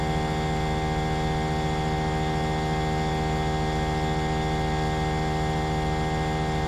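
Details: Trane XV18 heat pump outdoor unit, installed December 2021, running with a loud, steady electrical hum and fixed low drone, no pitch change. It is excessively noisy, called a lemon.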